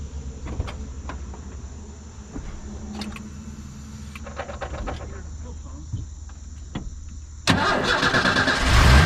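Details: Old Ford F-150 that would not start though it had spark, after battery charge, checking fuel pressure and relay: quiet ticking, then engine catches cleanly into steady even idle; fuel pressure 45 within 40–50; cause unknown.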